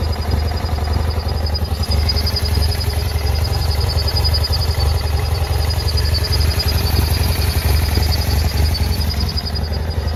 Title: BMW F800GS (2009) very rough idle, vacuum hoses damaged